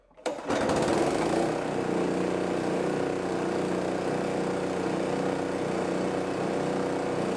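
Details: Roadside-free old gas-powered air compressor, single-cylinder engine, running after the valve cover was refitted and the air filter cleaned and reinstalled. It pops to life and holds a steady, even run with no surging or misfire; it sounds healthy.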